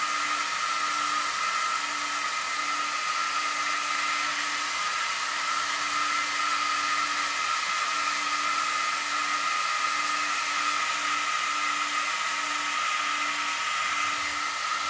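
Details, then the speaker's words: Two Yeah Racing 40x40 Signal 10 cooling fans on a new aluminum motor shroud for a Losi DBXL-E V1 RC car, bench-tested plugged in: steady even high whir with airy hiss, no wobble or rattle; spinning cleanly. "let's give it a plug in and see what it sounds like that's not pretty wicked"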